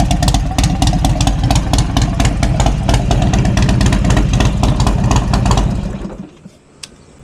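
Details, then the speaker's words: Cheap Harley-Davidson V-twin, just started after charging following a failure to start previously: loud lumpy steady slow idle, even firing with no knocks or misses before shutting off; runs healthy. "The bike in fact runs, and I'm not gonna lie, it sounds pretty damn good. I mean, you cannot beat that sound."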